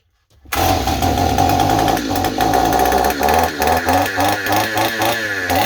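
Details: Stihl 028 chainsaw with blowback, after new crankshaft seals and a carburetor rebuild: fires and screams to high revs, surging unevenly and running away; suspected air leak at high rpm, possibly behind the carburetor or intake boot, or the carburetor itself.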